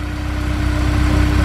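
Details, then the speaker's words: Engine just rebuilt with new valve guides, valves and seats, updated retainers and keepers, cleaned injectors, and lifters rechecked: smooth, even idle with a steady low rumble and no ticking or knocking. Normal idle. "No, it idles super smooth. Listen to that."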